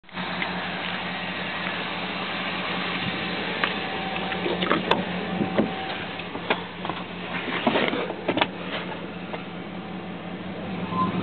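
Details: 2002 Dodge Durango with a cold engine in cold weather: a loose, irregular light ticking and rattle over the running engine, present for the first 10-15 minutes in winter and gone once warm and when revved; never in summer; cause unknown.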